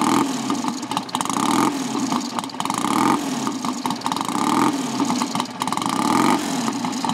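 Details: Customer's motorcycle at tick-over after a no-choke kick start with ignition advance midway; engine not stripped, standard gearbox. A slow, lumpy tick-over with even repeating surges and no knocks or rattles: healthy.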